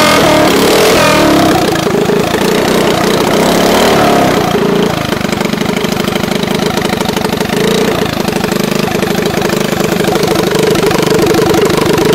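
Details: Harbor Freight 212cc engine with stage 1 mod (bugle-tip exhaust, jet kit in the stock carburetor, breather air cleaner): catches and runs with a steady, crisp exhaust beat after a brief rev; even and strong, runs as it should.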